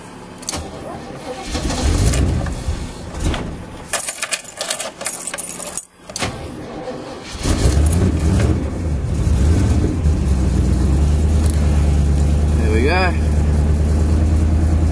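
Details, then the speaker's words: 1938 Chevy V8 restarted after an oil and filter change: keys and handling, then it catches and settles into a slightly uneven, stumbling idle; oil pressure is up, and the owner thinks a plug has fouled and will clear. "Oil pressure there. Sounds like it's fouled up a plug, but that'll clear."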